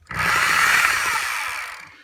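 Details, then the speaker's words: Hilti TE24 hammer drill after brush repair, first test with no bit fitted: steady high motor whine spinning up and running evenly for two seconds then stopping; normal running. "Alrighty, moment of truth. There's nothing in it, but you hear it spinning."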